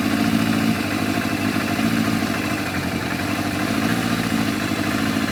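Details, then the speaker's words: Yamaha FZR1000 four-cylinder with rebuilt carburetors, just started before synchronising: steady idle with a slightly uneven, lumpy pulse under a constant drone; carbs out of balance. "There you go, 60, 57, 64, 58. So they're definitely out."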